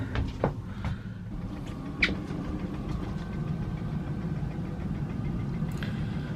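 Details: Eberspacher D4 Airtronic M diesel air heater on a boat, locker sides refitted, warming cabin from 16 toward a 22-degree setpoint: quiet, even low hum with a steady fan note, no knocking or surging; running normally.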